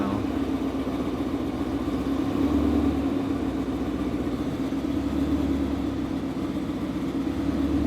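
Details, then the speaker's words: Car on first start after flashing a new E85 tune, idling a few minutes while AFRs adjust and E85 mixes with remaining 91 octane: steady even idle, low burble, no knocks or misses; running clean. "here's the first start even idle for a few minutes afr's are adjusting right"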